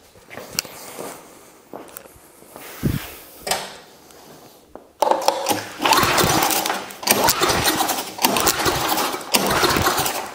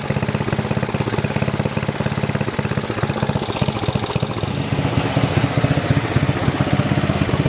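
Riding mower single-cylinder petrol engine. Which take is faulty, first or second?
first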